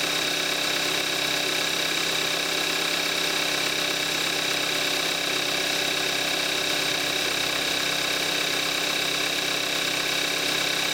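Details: 2014 Kia Forte5 2.0 GDI, 41,000 miles, synthetic Amsoil 5W-30, cold start in May 2017, recorded on the camcorder's built-in mic: fast, even light ticking over a steady cold idle; normal direct-injection injector noise.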